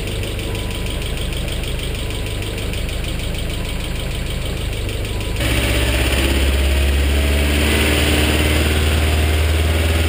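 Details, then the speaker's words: BMW E30 with M42 engine, recently restarted: an even idle with a light, regular tick about three per second, then a step up in revs. The tick is suspected to be stuck hydraulic lifters, unconfirmed; the fix tried is running the engine to bleed the lifters. "the consensus seems to be that it the noise may be coming from stuck hydraulic lifters"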